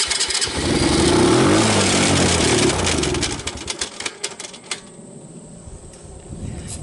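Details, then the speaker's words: 2006 Baja Wilderness Trail 90cc ATV on a cold start with choke: engine runs briefly and dies, then scattered uneven sharp clicks; owner suspects a bad starter one-way clutch at the flywheel. "clutch i i believe it's the one-way clutch for the starter is no good i think that's what's doing all the clicking"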